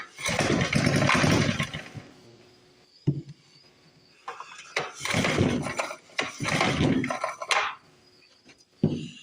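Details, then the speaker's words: 1955 Briggs & Stratton model 6 (Sears), Craftsman plug reinstalled: several rough recoil pulls with whirring bursts and a pop or two, came close but never catches; starter clutch slipping and getting bad. "Oh man, that starter clutch is getting bad."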